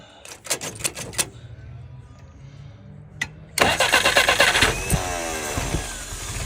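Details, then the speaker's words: Restored, tested and adjusted YF on an F-head engine, dry with no leaks. Cranks briefly, then settles into a steady, even idle at about 680 rpm with no misses or knocks; could go up to 700. "Currently idling at about 680. You might want to take it up to 700."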